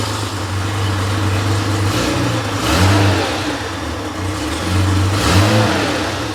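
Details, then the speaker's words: Freshly rebuilt Porsche 911 air-cooled 3.0SC flat-six at 3.2 spec on test stand, cold after overnight: strong steady drone swelling and easing a couple of times at fast cold idle; slightly rich warm-up, later near 950 rpm; loose muffler baffle. Healthy. "So, I don't know how long that was running, but but as you can see, it starts cold. It starts well. uh maintains a high idle, runs, you know, a little bit rich through the warm-up phase,"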